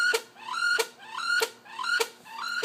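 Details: Laptop hard drive suspected (owner assumes HDD at fault) emits a shrill upward-sweeping screech repeating about every 0.6 seconds, like a pterodactyl; squealing noise.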